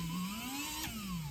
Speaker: so yep it's all working guys that's good news for me